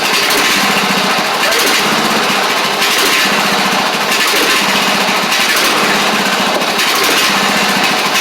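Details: Craftsman DYT4000 riding mower after sitting about 2.5 years, started with only fresh gas and a little choke (choke was stuck): engine buzzes at high steady pitch with only a slow gentle swell, running cleanly; sounds good. Normal running.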